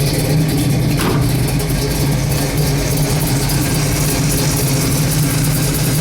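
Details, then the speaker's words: 1971 Chevrolet Chevelle Heavy Chevy big block (originally 402, now 1970 engine with LS5 cam), Turbo 400, ~2,000 miles since frame-off restoration, cold start: deep, even low rumble with mild cam lope, no knocks or misses; normal cold idle. "Now it's cold. Now this is a big block. I like starting them all up cold because everybody wants to hear them cold."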